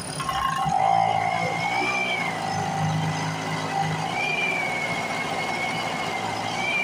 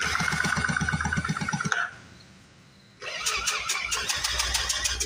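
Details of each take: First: A rusty Speedway Series 1000-watt two-stroke portable generator from an auction, started with a makeshift pull rope, buzzes steadily with its pitch hunting every couple of seconds. It keeps running normally. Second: A Speedway Series 1000-watt two-stroke generator, with fuel poured down the plug hole, cranks rhythmically with pauses but never fires. It feels like it has compression, and the owner wonders whether the spark is strong enough.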